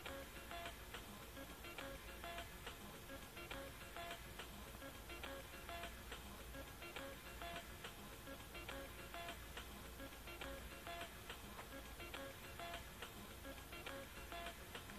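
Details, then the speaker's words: Record player skipping away from the label rather than toward it, music with a repeating pop about every two seconds as the needle jumps the groove; owner suspects a worn, filed-down stylus tip, cause unconfirmed. "here it is skipping away from the label and when it skips away from the label this is what happens"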